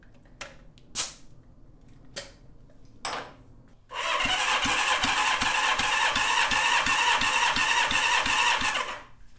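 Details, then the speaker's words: Honda CB550 four-cylinder motor on the bench after top-end rebuild (head gasket oil leak fixed), cold and not broken in, a little oil squirted in cylinders: starter cranks briskly with even compression pulses, reading 160–165 psi (spec 150–170), healthy compression. "Okay, 160, 165 on that one."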